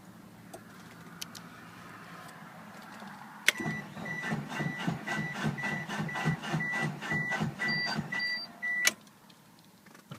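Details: 1996 Mitsubishi Eclipse GST cranks in uneven, sluggish pulses under two per second for about five seconds without catching; owner suspects a bad starter.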